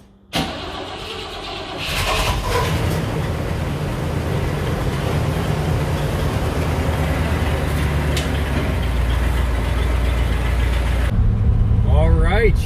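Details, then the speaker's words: 1959 Cadillac DeVille 6329 V8 with MSD 8.5 mm plug wires and multi-spark ignition, test drive after left rear axle O-ring seal replacement: cranks briefly, catches and settles into a smooth even idle at a stop sign, no misfire. "we're gonna hit a stop sign right here and I want you to hear it idle it's just amazing how good it is now"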